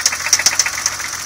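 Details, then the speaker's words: Sharp, fairly even knock about seven times a second at idle on a stone-cold BMW E30 M20B25 just jump-started; valves sound quiet, owner suspects a piston or bottom end. "I've listened to all the valves. They all sound about the same. Fairly quiet. I'm gonna step around. I don't know what that noise could be,"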